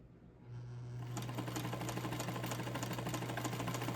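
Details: Montgomery Ward Signature UHT J260F sewing machine, over 60 years old, all-steel gears, cleaned and oiled, run slow via presser foot: motor hum rises then even stitching tick about three a second, no grinding; runs smooth.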